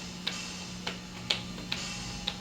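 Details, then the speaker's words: LinnDrum drum machine after water exposure, first power-up, testing voices: thin faint hi-hat ticks about twice a second over steady low hum and background noise like air escaping a balloon; very faint hi-hat output, slider cutting out. "a very faint hi-hat here. The slider is kind of cutting out."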